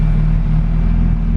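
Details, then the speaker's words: Honda Civic Si EK, 2200cc Bosch injectors, E85, Hondata S300 preliminary tune: low, even idle rumble, perfectly steady air-fuel with no hunting, surging or misfire; normal idle. "all right guys so i got a little tune in this thing it's not anything final but uh just as a example here we're running the car idling currently"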